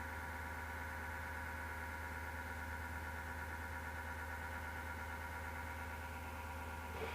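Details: Desktop PC heard from left side of case: PSU fan gives steady low roar with coarse grinding edge and constant humming tones, starting on its own after rattling or clicking as it slows; PSU fan grinding suspected.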